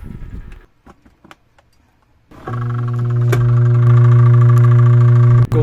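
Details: Single-tub washing machine wash motor gives a steady loud electrical hum without turning; the pulsator is hard to turn by hand because the dried-out bushing has seized onto the shaft.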